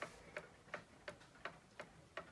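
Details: Circa-1875 Seth Thomas pendulum clock, movement just reinstalled with no face, on a fairly level table: crisp, evenly spaced ticks about three per second with no limp between tick and tock. It runs cleanly in beat without bending the crutch.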